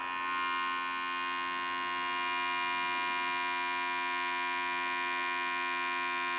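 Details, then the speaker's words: 1964 Pontiac 389, first start after rebuild, electric fuel pump switched on without running engine, pressure set to 5.5 psi: steady whirr and buzz with faint ticking as carburetor bowls fill; normal fuel pump priming. "i heard it i can hear the bowls filling up i adjusted this to five and a half pounds"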